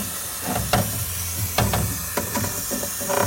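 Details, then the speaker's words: Sanyo one-door fridge not cooling after condenser replacement, evaporator pressurized for leak test: steady hiss with sizzling bursts at the top of the evaporator, refrigerant leaking there. "Nah di bagian sini nih ada suara the Sis ya wis ini teman-teman ya tuh ada suara yang"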